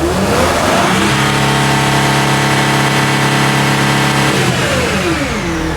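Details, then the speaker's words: Sprinter van, 3.0L diesel, with DPF codes and low power, revved to about 4,000 rpm: clean steady turbo whistle under the hood, turbo most likely good, while exhaust differential pressure climbs to about 2.5–2.79 PSI. "so I'm going to rev up the engine I can hear the turbo whistling under the hood so that's good the turbo is most likely good"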